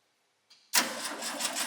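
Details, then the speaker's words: New-to-us SpraCoupe engine for a 1961 VW bus: brief cranking, then it catches at once and settles into an even, busy run with no misses. A clean start after the bad coil was replaced with the original bus engine's coil. "yeah we got spark now here let me let me show it on the camera i can get it in there okay all right yeah so we had a bad coil"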